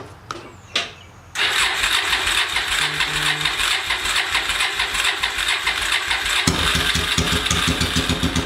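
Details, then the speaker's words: 800cc engine on a homemade pulling tractor with five-speed transaxle, freshly fuelled and first started: brief crank, instant catch, fast uneven cold idle that picks up speed; healthy cold start, later pulled in 5th gear without bogging. "So, just gonna fill it with gas and then we'll start it up. Key on. It's a little cold."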